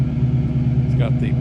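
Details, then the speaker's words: 1968 Ford Mustang idling with new Flowmaster-style mufflers and GT exhaust tips: deep, steady low burble with an even beat and slightly loud exhaust note; engine healthy, excellent oil pressure. "the exhaust is new there are Flowmasters type style whatever mufflers"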